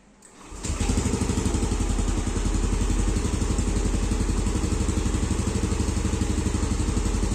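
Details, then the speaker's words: Yamaha Aerox scooter with a manual ISC, 12.6 V, coolant and intake air at 30°C, after error codes were cleared: the engine starts at once and settles into an even, steady idle. Normal idle. "Oke, langsam sih normal ya, Guys."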